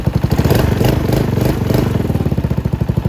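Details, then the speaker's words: Venom x22GT 250cc single-cylinder motorcycle after valve clearance adjustment: clean throttle blips pick up and settle back, revving smoothly and responding well; normal throttle response. "And there you go. So you see how much better now if I rev that."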